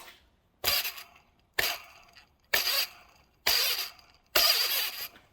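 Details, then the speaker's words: Mercedes M119 V8, accessories being removed to reach the upper oil pan. Belt pulley spun by hand near the tensioner as a way to check pulleys: five dry gritty hisses fading as it slows, a worn dry bearing judged toast. "You can also hear, another way to check your pulleys, you can hear this. See how dry that bearing sounds?"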